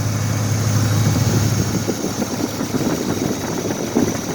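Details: 2004 Dodge Durango petrol engine idling right after start-up, steady low hum, no lifter noise or knock, only a barely audible exhaust-leak tick; normal idle.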